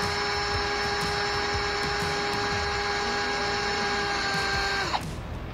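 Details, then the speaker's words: 1972 Ford Bronco 302 V8 not run in about 20 years, oil pump primed with a drill turning the distributor drive counterclockwise: a steady high drill whine drops in pitch as it takes load, showing the pump has started pushing oil to the rockers. "Alright, now I don't know if you noticed when the drill changed the pitch there, that's when you know you're starting to pump oil. You'll feel it, you can hear it in the drill."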